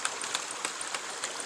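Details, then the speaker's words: Homestead ram pump from LandToHouse: sharp, even clacks about 2.5 times a second over running water, the waste valve cycling faster than the ideal once per second; it still gives good results, so it is left alone. "So it's operating a little fast according to Seth Johnson. He said you want about that relief valve to open once per second. I'm about 2.5 times per second."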